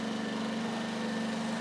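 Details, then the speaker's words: Generator started by pull cord after the choke is pushed back in, panel green light flashing until ready; smooth even hum with steady pitch and no misses or knocks, normal idle. "at this point the engine should start up on the panel a green light will flash on and off until it is ready"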